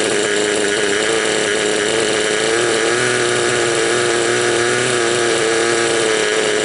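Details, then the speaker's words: Raptor 30 gas-converted RC helicopter engine during break-in, high idle trim, low needle one turn out (high needle 3 out): wavering uneven chugging drone, rich mixture four-stroking and spitting oil, smoothing as low needle leaned. "But then you can hear the sound of the motor and how it smooths out. Right now the idle's high and it's got a lot of flooding going on. Or I think they call that four-stroking."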